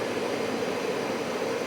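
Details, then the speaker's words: Carrier/Bryant Evolution furnace with replacement ECM blower motor, after repair and on a call for heat: smooth steady airy rush, soft constant hum, no rubbing, ticking or surging; the blower runs normally. "oh oh there is a beautiful sound the fan is working again"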